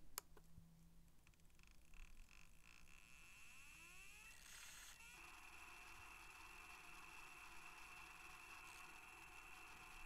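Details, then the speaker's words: Sony MZ-R70 MiniDisc recorder on fast forward: faint whirring spin-up with steady high whine as it reads a batch of data into the buffer, then the disc stops to save power; normal operation. "i'll press fast forward and you'll be able to hear it read a batch of data into the buffer and then stop the disk to save"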